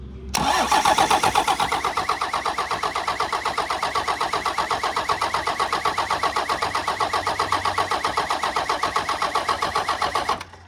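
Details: 1993 Dodge W250 with Cummins intercooled diesel, reportedly 120,000 miles: steady even cranking at about four turns a second for ten seconds that never catches, even with starting fluid and no intercooler piping; fuel shutoff solenoid unpowered.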